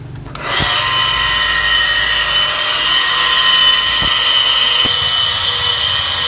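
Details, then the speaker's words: Household water pump running before repair: loud, constant high-pitched whirring hum with a rough edge, annoying the neighbors; noisy motor bearing, so bearing and seal get replaced. "At saka, pag nagpapaandar ako ng makina, nakakaya sa aking kapitbahay. Yan, nakakaya ang ingay niya, no?"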